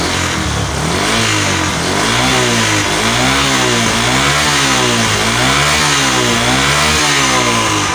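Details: Honda Megapro monoshock single-cylinder motorcycle after spark plug gap set and a 1.5 µF/400 V capacitor fitted: clean, crisp revs rising and falling about once a second, no misfire, ticking or hesitation; running well.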